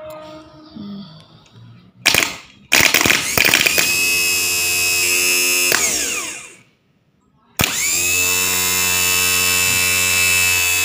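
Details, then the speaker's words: Starter motor of a Kia Sephia / Timor DOHC bench-tested off the car after repairing a sticking starter with a loose solder joint that had arced; sharp electric whine spins up, holds, cuts and spins again; turning freely, normal. "ठीक है , दोस्तों, यह काम कर रहा है।"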